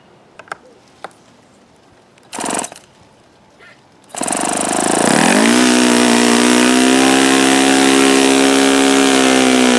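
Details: OS FS-48 Surpass four-stroke model engine with repaired blown-out crankcase, on test stand checking peak RPM and bearings: fires, climbs quickly to a steady high buzz, even and rattle-free; richened after knocking, no bad-bearing sound heard.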